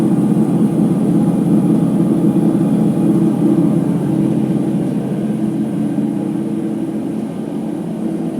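Loud steady rumbling roar through the high-speed spin, easing slightly as it winds down, typical of worn drum bearings.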